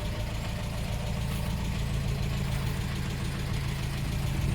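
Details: 1987 Dacia 1310 (Romanian Renault 12) at low idle: dull, regular knock at engine speed throughout, still present after a bearing change with no improvement; radiator, coil and fuel pump recently replaced; source unknown, cause only suspected.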